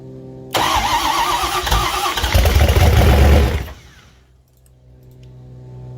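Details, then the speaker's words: 1968 Bronco with Coyote engine swap, fuel injection, stock default tune, first start after flipping the fuel filter: catches and runs rough about three seconds, then dies abruptly; owner suspects clutch binding or no oil pressure; abrupt stall. "Pretty abrupt stop. Real slow turning over. And then nothing. Nothing at all."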